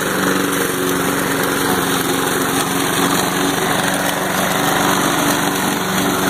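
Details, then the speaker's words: Lawn mower after a homemade carburettor repair with a modified venturi: small engine holds a steady, even buzz just above idle with no surging or hunting; normal running. "it's holding up pretty good it's staying right at the city a little bit higher than idle"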